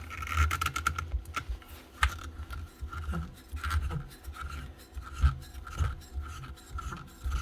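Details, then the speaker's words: 1999 Makita 9069 9-inch angle grinder, head turned by hand: uneven gritty rasping and scraping; bearing in the gear head definitely shot, gears possibly damaged too. "that head doesn't sound good a bearing gone there I imagine there could be gears"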